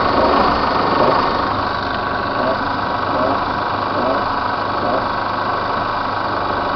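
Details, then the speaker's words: Chevrolet S10 LT 2.8 diesel, engine warm (not when cold); light irregular tapping on small quick throttle blips, sometimes at idle; GM mechanic called it a normal valve opening on acceleration but not normal at idle; source unconfirmed. "quando eu piso um pouquinho no acelerador, mas só um pouquinho mesmo, que praticamente nem eleva o giro do motor, aí faz esse barulho."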